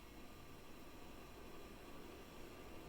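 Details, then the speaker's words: 1993 Gulf Coast 56" Super Brass Tiara ceiling fan, restarted in reverse after running high: low steady whir with a faint irregular clinking rattle like glasses; worn, stiff motor bearings, still a powerful fan. "but yeah those bearings are not the best say the least but it's still a powerful fan for what i need it for especially drumming"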